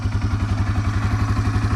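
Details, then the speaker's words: Yamaha TW200 cold start, switched from full choke to half choke after about a minute: even, steady thumping of about eleven beats per second with no knocks or misses, a healthy cold single-cylinder idle. "and then you can hear the difference in the idle."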